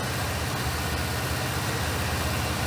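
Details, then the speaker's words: Monte Carlo engine freed up earlier, first running off the fuel tank with fuel leaks present; steady, smooth but quick idle above normal speed, no knocks or misses; sounds good apart from high idle. "Sounds pretty good. Well, other than the idle being a little high, it's running off the tank."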